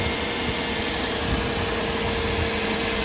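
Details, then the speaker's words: Toyota Celsior UCF20 V8 on jack stands, first start after valve cover work and new LS430 alternator, pulley and belt tensioners: smooth even idle, steady low hum, no knocks, ticks or belt squeal; healthy. "All looks good, all sounds good."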